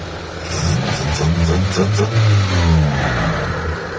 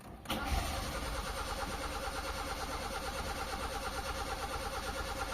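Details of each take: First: Mitsubishi Lancer 4G13 carbureted, after timing the distributor, reconnecting vacuum hoses (vacuum reading 20, normal) and tuning the carb: engine picks up cleanly and settles back, revs rising and falling smoothly without misfire or hesitation; normal revving. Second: Mitsubishi Lancer 4G13 carbureted, with low power and hard starting, just fitted with a new empty fuel filter: steady cranking about two beats a second for about ten seconds before it catches. Prolonged crank while the filter fills with fuel.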